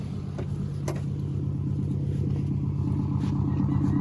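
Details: EM2 Honda Civic, after installing 1320 D-series unequal-length headers with an added custom gasket and a trimmed triangular tab: a deep, even exhaust rumble with a steady beat, no ticks or leak hiss.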